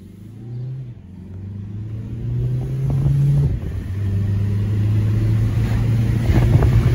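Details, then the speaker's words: 2006 VW Jetta TDI 1.9L Pumpe Düse diesel after a new camshaft fixed low power, driving and building boost: smooth, even drone climbing steadily in pitch under load, no knocks or ticks; normal running. "it's for sale now it's uh running damn near like it just rolled off the assembly line building boost no issues"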